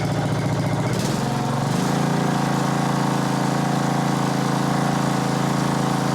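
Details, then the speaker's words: Yard Machines (MTD) riding mower, 13.5 hp Briggs single-cylinder, 38-inch deck, during a resale refurb, started cold before warm-up: brief rev settling into a smooth, steady idle with no misses or valve clatter; runs healthy. "new light bulbs work just fine actually sure Run's nice idle's nice"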